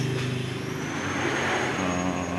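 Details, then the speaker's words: Mitsubishi T120SS with jumped timing belt: uneven, lumpy idle with harsh undertone, rough running; valve cover opened to check for bent valves. "dengan kendala itu di bagian mesin suara kasar ya Coba kita dengarin suaranya ya Iya Kasar banget ya"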